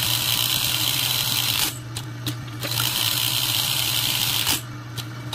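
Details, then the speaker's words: Juki 780 buttonhole sewing machine after repair: steady low hum and soft, even stitching with no harsh knocking. Needle timing was set too high and hitting, causing loud noise and thread breakage; it was lowered and centered. Noise gone, thread no longer breaks. "Wala na 'yung ingay. Katulad kanina sobrang lakas na talaga tsaka hindi na pati siya nagpapati."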